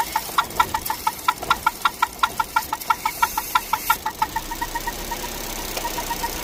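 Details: Vauxhall Meriva 1.4 petrol idling warm with a sharp squeaky chirping tick about four times a second, occurring only once warmed up.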